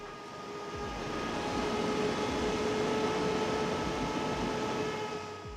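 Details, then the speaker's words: EcoFlow Delta 2 Max, microphone held right at the intake port while outputting about 1700 W: steady high fan whine at one pitch over soft airflow. Normal cooling-fan noise under heavy load. "The EcoFlow has this uh wine, but the DJI just sounds like airflow. There's no fan whining to it."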